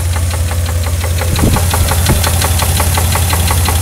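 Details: 1991 GMC S15 Jimmy, 4.3 V6, 250k miles, knock just developed: loud sharp metallic knock nearly three per second over idle; owner unsure whether rod knock, lifter knock or both.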